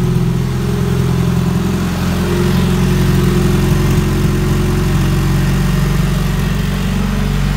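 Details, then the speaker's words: 1995 Honda Civic EG with custom-fabricated turbo kit, first start after install on pump 93 gas: started right up into a low, steady idle with an even rumble, no knocks or misses; running smoothly. "so I am done with this one I'm gonna go ahead and start it up here show you guys it sounds like it's on regular pump 93 gas started right up"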